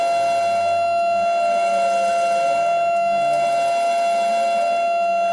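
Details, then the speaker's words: Yaskawa CPCR-MR-152G DC servo drive running a motor not designed for it, reversing back and forth: steady high whine with bright overtones, wavering at each reversal; noise likely from the drive-motor mismatch. "a different noise on the motor when I do that it's noisier you hear that now this isn't the motor that was designed to work with this Drive right here so I imagine that's all part of that mismatch from why we're making so much noise when we servo back and forth like that"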